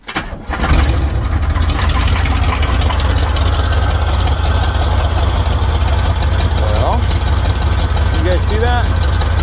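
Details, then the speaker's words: 1979 Chevy with a misfire, one cylinder seemed barely firing, spark checked: engine catches and settles into a deep, slightly uneven idle; misfire cause not confirmed. "first off with having this misfire it's going to be hard to get this thing to run good might take a second maybe not we'll see"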